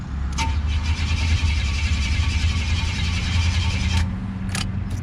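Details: Buick WE4 broken down, hot engine, fuel pressure present, ECU reset, no fuel pump heard: starter cranks at an even beat about four seconds without catching; crank-no-start from a failed crankshaft position sensor.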